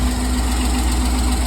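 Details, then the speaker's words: 1999 C5 Corvette idling after oil pan gasket replacement, PCV valve still to do: steady even idle, smooth low rumble, no ticks, knocks or misses, no engine lights, no leaks; normal idle. "good news right there fin I got running no engine lights ignore the sign it's outdated no leaks"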